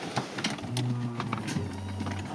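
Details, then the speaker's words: Saab 9-5 Turbo, not driven for several years, at key-on after reconnecting the battery: a steady low electric hum with a few faint clicks and no engine running, as the fuel pump primes normally. ", dù sao thì máy bơm vẫn chạy, đi thôi."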